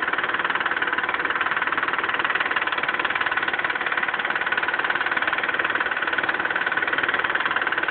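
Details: Mitsubishi 3000GT at smooth idle: fast, regular light ticking about three times a second from the top end, a suspected lifter tick. The owner suspects no oil is reaching the left lifter and too much oil sits at the camshaft end.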